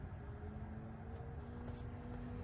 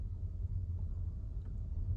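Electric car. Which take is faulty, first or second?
first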